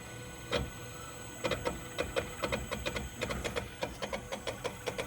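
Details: Tesla Model X charging in a shaded garage, cabin at 125°F with AC not working: sharp, slightly uneven clicks about four or five a second near the passenger front tyre. The source is unknown.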